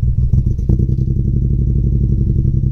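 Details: VW Up TSI with a misfire on the 3rd cylinder after a backfire; a spark plug is suspected, and cylinders are tested by unplugging coils. Lumpy, uneven idle with a beat dropping out of the low chuffing rhythm.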